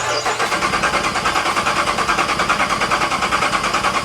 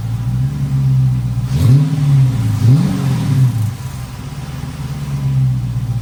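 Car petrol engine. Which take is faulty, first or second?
first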